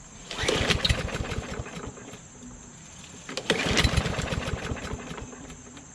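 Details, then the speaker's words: Craftsman LT2000 lawn tractor engine: catches on the first pull and settles into a steady, even run with no knocks or misses, though it runs rich with black smoke. "pretty good so aside from it running kind of rich you can tell because the black smoke is coming out right start it up and runs okay it sounds pretty well"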